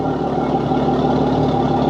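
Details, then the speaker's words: Yamaha F300 XSB2 4.2 V6 outboard at its 100-hour service, owned about a year and a half, on 20W40 Yamaha oil, idling on a flush hose; smooth, even low hum, no knocks or misses; normal idle. "Everything works fine. you can hear, the engine sounds perfect."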